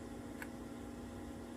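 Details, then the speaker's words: Brand-new Jandy TruClear salt chlorinator, factory-configured for 240 V but fed 120 V and stuck in a Check Cell/Waiting boot loop, now rewired for 120 V: one sharp relay click over a steady low hum on startup, then chlorinating normally. "You hear that click? That's a good thing. Oh, now we got chlorinating."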